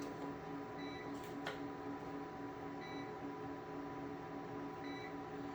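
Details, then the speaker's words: GOLDENMATE 1000VA LiFePO4 UPS unplugged from mains while running a heater at about 800 W: a faint high chirp repeats about every two seconds over background music, signalling the unit is running on its internal battery. "now you hear that chirping sound that's just letting you know that the power's off and it's running on the battery power on the inside of the unit"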